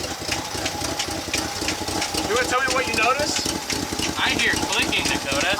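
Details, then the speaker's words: Just-started 1965 Chevy C10 with little fuel left in the float bowl: irregular light clicking and tapping over a rough idle, likely valve train; suspected number-one cam lobe going flat. "do here tapping as well what are your thoughts so my [Applause] thoughts are that"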